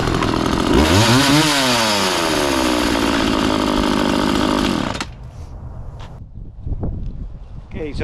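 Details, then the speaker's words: McCulloch Mac 3200 32cc 14-inch chainsaw after repair: revs up crisply, holds a steady high scream without bogging, cuts off cleanly; starts easy, chain oiler working, normal running. "so everything's good with this chainsaw it runs good sounds good starts easy"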